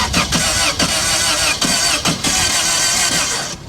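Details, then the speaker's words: Copart auction run-and-drive car, jumped with a booster pack, half a tank of gas: starter turns the engine in uneven, lopsided bursts and it never catches; sounds like uneven compression, something under the hood not sounding right. Cause suspected, not confirmed. "that sounds like uneven compression this is this is a run and drive and it's got half a tank of gas huh well something under the hood wasn't sounding too good right there"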